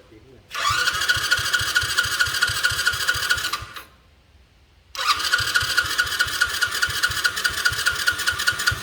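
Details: Motorcycle that won't start, during carburetor troubleshooting: two bursts of steady starter chugging, about two beats a second, with no firing. It cranks but won't start; fuel not flowing through is suspected.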